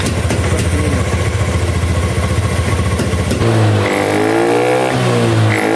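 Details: Honda Beat ESP scooter that showed blink codes 7, 11, 12 and 52, after the couplers were checked and refitted: starts easily, with even idle pulses and clean revs rising and falling, no rattle or miss; runs healthy.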